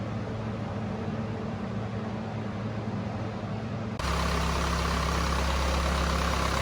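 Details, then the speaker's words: Cummins 4BT diesel in a Power Wagon build, first start since 2015, then run with transmission in fifth gear: even diesel clatter at a steady beat, stepping up to a louder, fuller drone under load, no misses; normal running. "well i never doubted that it would start and run perfectly but it was really good to hear it"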